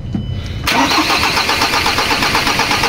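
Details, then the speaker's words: 2013 Ford Ranger 2.2 diesel, manual transmission, hard to start in the morning: brief cranking on the second try before the diesel catches with a quick, even clatter, a clear hard start. "Ayan na po mga ignition on start natin ah halata na hard starting talaga Okay Try natin ulit oh hard starting talaga mga calbaryo second time"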